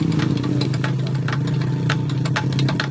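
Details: Honda Beat ESP 2015-2016 scooter, CVT felt rough under throttle; after replacing worn-out rollers, steady low engine hum with light clicks and rattles, even and unstrained; normal running.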